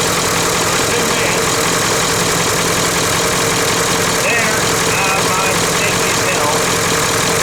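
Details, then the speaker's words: 1996 Ford F250 7.3 Powerstroke diesel cold idling in about 30°F after sitting 2.5 years, started on 7-year-old batteries; steady even clatter with no misses or stumbles, running normally. "These batteries have been sitting dead now for a couple years, but they still managed to bring this old truck back to life."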